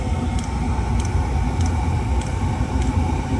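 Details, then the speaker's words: Chinese diesel heater, about four years old, being fault-found for cutting out: steady low combustion roar with sharp fuel-pump tick about every 0.6 s, no errors, no white smoke, warming; running normally, fault not showing. "pumps working and the heater plug is working what the hell is it"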